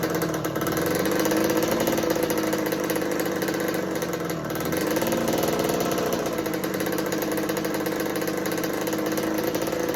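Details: 1986 Kawasaki KX125 two-stroke, choke fixed, petcock on, float bowl full: buzzy tone surging and sagging, dipping near four seconds, never settling to idle; owner suspects lean running from insufficient fuel, pilot jet/needle considered.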